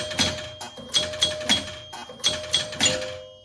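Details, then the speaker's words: 1977 Gottlieb Bronco pinball after relay switch adjustment: bursts of quick chimes and relay clacks with score reels stepping in even groups; thousands scoring now works and carries over to 10,000s properly. "and there it is thousands work now too thousands work now too"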